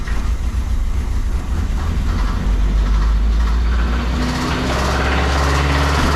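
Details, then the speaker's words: 1986 Mazda B2000 idling after Marvel Mystery Oil and a new valve cover gasket: a rough idle with an uneven slapping knock; it then revved really high and threw a rod through the block. "well I pulled it out of the garage and I was letting it idle and uh we've got a pretty pretty big problem here uh threw a rod right through through the block"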